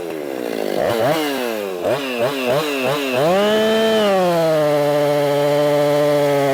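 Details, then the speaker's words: Husqvarna 262XP chainsaw, already tuned up, cutting wood: revs cleanly, bogs into each cut and recovers, holds a steady high scream; healthy running under load. "I've already got it tuned up pretty darn good she's running good let's do some cutting"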